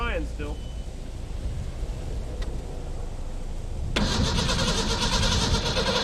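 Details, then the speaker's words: 1991 Ford Ranger STX abandoned for years, after ether was sprayed in: quiet stretch, then even cranking at about four beats a second with no firing. Crank no-start; owner suspects no fuel pressure from the fuel pump. "she wants to go she's just not getting fuel pressure i'm not convinced we're getting any fuel pressure up here"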